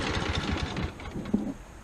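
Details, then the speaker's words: Ferris hydro walk-behind mower, hot engine: chugs unevenly, stumbling and missing as if starving for fuel, then dies despite fuel in the filter; owner unsure whether it is flooding or the ignition coils. "and that's it now do you see what I mean by it sounds like it's starving for fuel but look plenty of gas in the fuel filter it's getting fuel"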